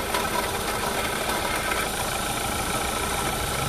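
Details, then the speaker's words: Renault Clio 3 idling: steady whirring, rattly whine over engine noise; alternator faulty with bearing play making the noise. "l'alternateur donc j'ai en alternative qui est hs c'est bien celui là à l'intérieur et là un jeu de roulement et que du bruit"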